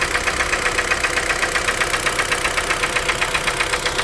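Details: 2012 Kia Forte 2.0L at idle, knock began around 166,000 km and driven about 4,000 km more: sharp, even knock about two per second; owner suspects piston slap, unconfirmed.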